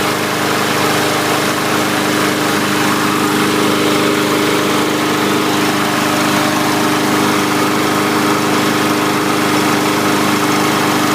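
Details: 2017 MTD push mower with Briggs overhead-valve engine, after cleaning debris from breather tube, restarted: steady, even single-cylinder drone at constant speed with no misses, surging or knocks; running normally.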